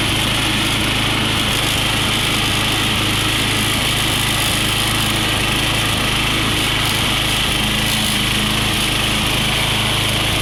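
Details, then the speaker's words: Push mower engine running steady and smoking, with a light irregular knock under the buzz about twice a second; owner suspects slight rod knock, unconfirmed; engine knock. "Sound like a little bit of rod knock to me, but it'd be good to use until she goes."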